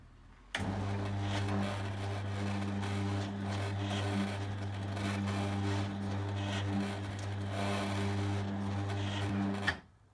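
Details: Newly fitted replacement Ellard 100Nm motor on a 10-year-old electric roller garage door, run during limit setup: steady, even low hum with a light whir for about nine seconds, then a clean stop; normal roller door motor run.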